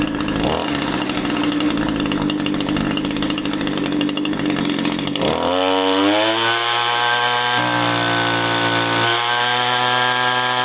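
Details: Echo string trimmer powerhead (two-stroke) after replacing an incorrect carburetor gasket, nothing else changed: revs high and crisp, then settles to a smooth steady idle without stumbling. Normal running.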